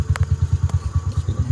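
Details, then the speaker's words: Detroit Diesel 8V71 in a vintage Scenicruiser bus, down a cylinder, at idle: even low pulses with sharp light ticks on top. Excessive valve lash, as a .017 gauge fits loosely where the .015 spec should barely fit. "light but the .017 is super loose here and it's not even supposed to fit"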